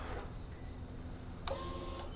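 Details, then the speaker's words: Kawasaki Vulcan 900 fuel-injected motorcycle, key cycled on/off to prime after reinstalling the gas tank: a click, then a short whirring hum of about half a second that stops cleanly; normal fuel pump priming. "All right, so what we're gonna do is prime the bike. You hear that? That's that fuel injection right there."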